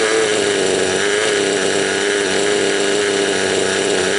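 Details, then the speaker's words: Raptor 30 RC helicopter engine during break-in, high idle, low needle one turn out, high needle 3 out: wavering uneven chugging burbling beats, running rich and four-stroking, flooding with oil mix; smooths out after adjusting the low needle. "Right now the idle's high and it's got a lot of flooding going on. Or I think they call that four-stroking."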